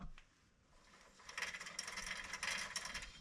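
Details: 2005 Hyundai Sonata rear wheel bearing from the rust belt, hub spun by hand: uneven gritty scraping and ratcheting rasp instead of a smooth spin; worn-out wheel bearing, replaced.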